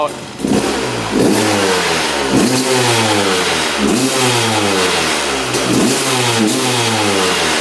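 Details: 2001 Honda CR250 two-stroke after fresh 40:1 fuel replaced old gas: sharp blips rising and falling quickly, no bogging; much more responsive, possibly just clearing out.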